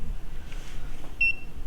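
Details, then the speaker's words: Iceco JP40Pro 12V compressor mobile fridge left open: single short high-pitched beep over quiet room hum, the open-lid alarm that sounds after about a minute open and stops when closed; open-door alarm beeping. "Now, if you hear that beeping, that's actually the open door alarm. That goes off after a minute or so of it being open."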